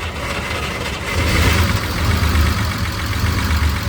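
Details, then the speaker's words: Unimog, long sitting, starts easily. Deep rumble settling into a fast idle with a slightly uneven beat; idle raised with a hand idle screw, probably for the PTO. Owner thinks it might be misfiring a little. "Sounds like it might be misfiring a little bit. It starts up pretty easy."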